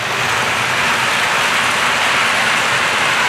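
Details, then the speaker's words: Model locomotive of the prototype Lion running at speed on track: steady even hiss and rattle of rolling wheels with no pauses, a lot of wheel noise. "Now this is definitely very busy. There's a lot of wheel noise."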